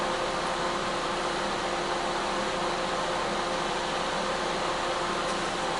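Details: Older microwave/convection oven on combination cook set to 250 degrees, top and bottom elements assumed on; steady fan hum with faint constant tone, no rattles; later reaches 188 degrees. Normal running.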